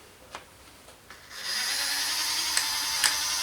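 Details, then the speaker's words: Hornby model railway turntable after repair: small motor whirs steadily, then sharp bang-like clicks as it passes under tracks; gears catching and knocking, owner suspects a part fitted wrong or too tight. "either ah you see you've got that noise again I don't like that did you hear it it sort of went bang bang as those went under it"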